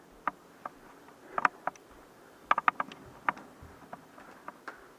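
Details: Two-year-old Samsung black stainless refrigerator: irregular high-pitched chirps and ticks like a hundred crickets over a quiet background; the owner attributes this to a bad compressor bearing.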